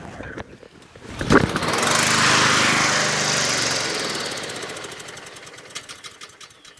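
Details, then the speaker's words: Honda HRT216 push mower on full choke, untouched from garage, fuel treatment added: catches with rough burst, runs briefly, then dies; hard starting and stalling, owner suspects carburetor. "This is very unlike a Honda. Honda usually one pull and it's done. Okay, it just stalled."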